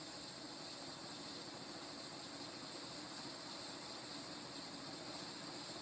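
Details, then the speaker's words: 36-inch View Fan industrial ceiling fan, mid-to-late 1980s, 5-speed wall control, at higher speed (about 260 rpm at top): steady airy hiss with fine grainy rustle, no rhythm; poor-quality bearings noisy, worsening as fan speed rises. "i'm gonna take it up the speed number two the bearing noise only gets worse the faster the fan goes"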